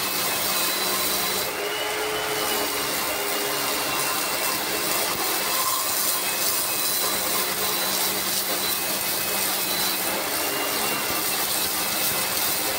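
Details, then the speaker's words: Lakoni Laguna 70 pressure washer cleaning moss: loud, steady high-pitched motor roar with a hissing edge; noisy because the motor is brushed, but running normally. "Okelah ya cukuplah ya suaranya juga cukup berisik karena ini masih pakai brush"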